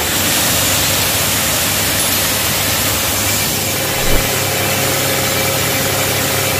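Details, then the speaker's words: High-pressure pump, 4 HP, run directly without automatic setup, with its own suction pipe and gun: steady, even hiss with constant motor drone, no knocks or surging. Normal pump running. "अब चलिए हम इसको चालू करते हैं यह हुआ चालू यह चालू हो गया"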